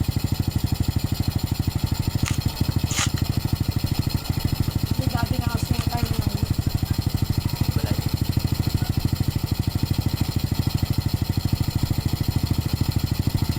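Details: Motorcycle started after an oil change and refitting the filler cap: steady, even single-cylinder putter at idle, about three firing pulses a second, no knocks or rattles. Normal idle.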